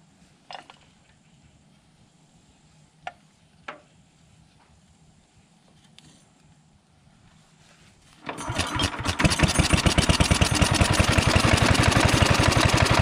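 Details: Old Fairbanks Morse Z style D 2 hp engine driving a cane mill, rope-started: quiet, a few pull clicks with choke, then it catches and settles into a steady, even chuffing beat of about three per second; normal running.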